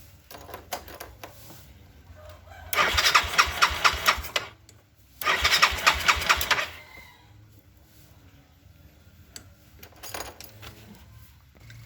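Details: Yamaha Mio scooter after fuel hose replacement fixing sudden stalling from restricted fuel flow: two short bursts of cranking and catching, then settles into a quiet idle; starts and runs fine.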